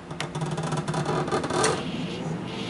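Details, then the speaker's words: GoldStar Intellowave microwave with door opened very slightly: steady low cooling fan hum and faint synchronous turntable motor drone, no magnetron buzz; fan and motor run with door ajar while magnetron stays off, cause unknown. "i mean the i can i don't hear the magnetron on i just only hear the fan and the little uh motor under there the synchronous motor besides that the magnetron is not on so there's no actual hazard"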